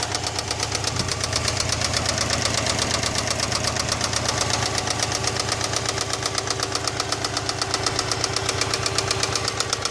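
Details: Subaru EJ206 engine, part 2: sharp, even knocking just under three a second rides steadily over the running engine, pointing to internal engine knock.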